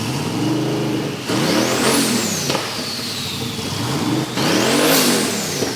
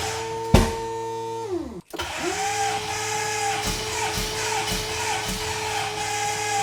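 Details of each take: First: Twin-turbo VK Calais after injector and pushrod fixes, before its tune: two sharp throttle blips with turbo whistle rising and falling over a loud steady idle. Healthy running. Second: VK Calais, first start attempt: starter spins the engine at about two beats a second with no firing. Seemingly no fuel, as injectors sat for ages with ethanol and did not click; pushrods were also an issue.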